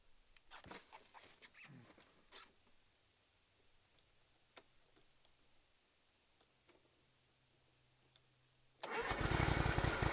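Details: Hustler Raptor SD zero-turn mower, on jack stands after seat switch fix and battery recharge, had been dying when moving or engaging the deck; a few light clicks, then it catches abruptly and runs loud and steady, a clean start.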